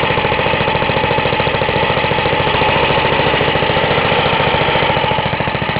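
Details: Half-restored 1954 reel mower: repainted Briggs & Stratton 6S, 1.6hp, non-original shroud, pull start removed, homemade throttle valve; plus 1984 Montgomery Ward B&S 3.5hp TMO-37425A. Fast, even single-cylinder popping, steady beat, no misses or surging; normal running.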